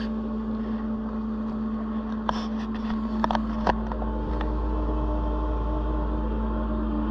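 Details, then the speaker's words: Autoterm Air 2D diesel air heater, just rewired, in a Peugeot Boxer L3 H2 campervan conversion: low steady hum with a few light fuel-pump ticks as it cranks up and starts blowing warm air; normal running. "okay so I don't know if you can hear that but the heating system is on I can hear it pumping or at least doing something but there's power to it which is fantastic sounds like it's cranking up there is air coming through huh heating up now"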